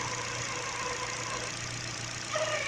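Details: Engine idling with a new Contitech timing belt: a steady, hissy, rattly whir in the upper range over a low hum, apparently from the front belt area; the new belt is suspected of making the noise.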